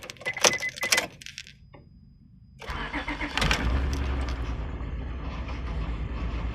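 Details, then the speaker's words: Honda Odyssey after belt tensioner change: cranks and settles into idle with a faint whine from the brand-new power steering pump, fitted for loss of assist in turns; pump was quiet when first installed, cause unknown. "Okay, so the power steering pump was making a weird noise, and I'm not sure what the noise is. It's brand new. It was not making that noise when I first put it on."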